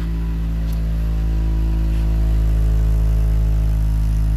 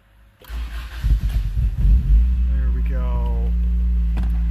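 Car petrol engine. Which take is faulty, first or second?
first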